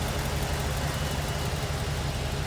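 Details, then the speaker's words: 1947 Ford Super Deluxe Business Coupe, 239 cubic inch flathead V8, 12-volt system, newer battery, heard in the engine bay; soft, even low burble, barely audible idle with no tapping or misses, running healthily. "It's like 12-volt system also. Barely hear that run."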